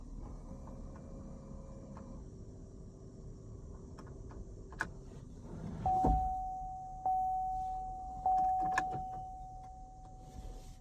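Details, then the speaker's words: 2014–2019 Chevrolet Corvette C7, manual, no-start: turning the key gives only the steady hum of the fuel pump priming, with no click and no cranking. "It's not doing anything. Not clicking. Not cranking. The only thing I can hear is the fuel pump."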